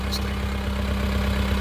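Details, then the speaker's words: 1980s Case 480E backhoe, sat since the summer before last, started without charging the battery. Steady, even diesel idle with no misses or knocks. It still needs maintenance, some cylinders and hoses. "Fire it up. Wow. Didn't fire it up like it was fired up like it never even sat here. That's insane."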